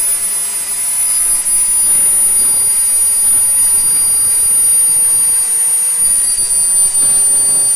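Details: SWIWIN SW220B micro jet turbine on test stand, second run after adjustments; steady even rush with high constant whistle, no surging, idling near 38,000 rpm with about 2.5–2.6 lb idle thrust; normal healthy idle.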